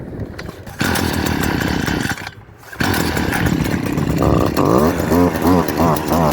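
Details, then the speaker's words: STIHL KombiSystem power head with an empty tank being pull-started: repeated recoil pulls, no resistance early, each ending in a short burst of clicking as the spring engages at the end of the pull. Normal starting. "there's no resistance for the first part of the spring. It all comes at the very last part of each pull. That's why you kind of hear the clicking sound towards the end."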